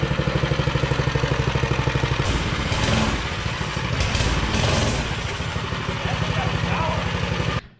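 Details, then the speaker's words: Hind 57 minibike engine built from spare parts (Predator block, stock cam, polished stock rod, governor deleted) on a Coleman CC100X, 75-tooth rear and 12-tooth Max Torque clutch sprocket, first start with choke: quick crisp single-cylinder idle, brief revving, clean shutoff; runs well, lots of power. "got the hind 57 minibike together it seems like it's got a lot of power seems like it runs pretty good"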